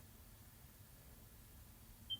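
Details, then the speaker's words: ViZiUUY VZ-3PT2 solar WiFi pan-tilt security camera tilting down then back: quiet motor travel, then one short high chirp at the tilt stop, the normal end-of-travel limiter beep. "and you hear that little beep, that little chirp. It's basically a limiter."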